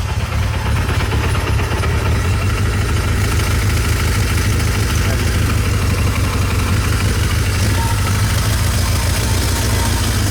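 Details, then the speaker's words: Kawasaki Z1 four-cylinder being revived, first start after a carb rebuild: low, uneven idle with a light metallic chatter on top, traced to a clutch friction plate tab knocking against the case. "The other thing you're going to notice, if you listen carefully, is a bit of a metallic noise that is a little alarming on camera and stuff, but we were really cautious whenever we got this thing going."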